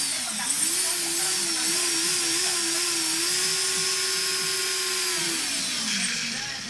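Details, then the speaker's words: After arming the drone, several motors give a high steady whine that wavers then settles, with one rear motor audibly missing; owner says that motor is messed up and suspects a failed motor, cause unconfirmed. "See? This motor works, but this is the one that's messed up back there."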